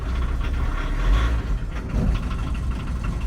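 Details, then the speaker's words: VW T25/T3 Westfalia pickup, diesel, first start after six months standing, glow plugs used: starts instantly into a low, steady diesel idle clatter with no misfires, a bit smoky but healthy. "here we go wow listen to that it's impressive in it after six months"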